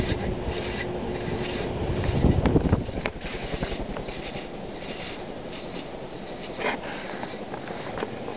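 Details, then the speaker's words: 1981 Emerson Heat Fan HF-152 52-inch industrial ceiling fan, K63 motor rated 1.3 A, running medium speed: rough scraping hissing rumble from worn bearings, grease broken down by motor heat; bearings shot, need replacement. "you know already here the Hat bearings hissing the bearings are shot and they will need to be replaced"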